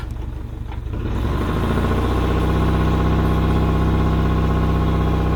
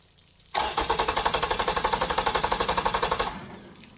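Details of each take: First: Yamaha outboard on a 1980–81 Sun Tracker pontoon, started with the choke and the fuel vent opened. It catches within a second and holds a steady idle with no misses or surging. Normal idle. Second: Yamaha outboard on a 1980–81 Suntracker pontoon, after carburetor cleaning: it fires and runs about four pulses a second, then falls flat and dies because the tank fuel vent was closed and the primer bulb wasn't soft; fuel starvation stall.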